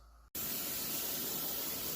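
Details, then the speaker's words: Pressure canner processing raw chicken: a sudden steady hiss of steam venting from the top, which is normal. It should vent about 10 minutes before the jiggler weight goes on to bring it up to pressure. "that is the steam coming out venting that's what you want you want that when you're when you're trying to get everything to come up to a boil and you let it vent for about 10 minutes"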